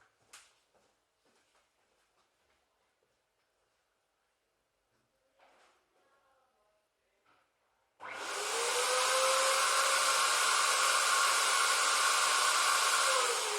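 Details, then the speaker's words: Dyson DC-07 vacuum found in the trash, first plug-in test; the motor spins up to a steady even whine and holds it; sounded healthy and normal. "Sounded healthy and normal."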